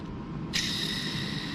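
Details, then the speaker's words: Old clutch throwout bearing from a Mitsubishi Lancer Evolution transmission, spun by hand off the car: dry, gritty whir with thin high ringing; rough worn bearing, replaced with a new one. "We're gonna put in a new throwout bearing since we already have one, but this is the old one here."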